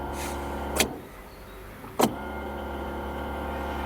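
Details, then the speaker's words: UAZ Patriot auxiliary heater circulation pump (a recently fitted replacement, louder than the original, which squeaked in the cold): a loud steady low drone that cuts out and returns with sharp switch clicks. "Вот при включении насоса циркуляционного дополнительного. Как вам звук?"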